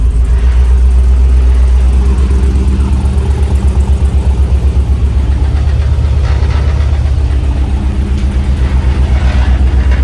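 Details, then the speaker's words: 1967 Chevy C10 LS-swapped V8 with suspected plugged fuel injectors from dirty fuel, cold start at about 60 degrees: loud, lumpy idle with heavy pulsing beat about four per second, hunting and unhappy; rough running at startup. "He is not happy. 200 Shut it off."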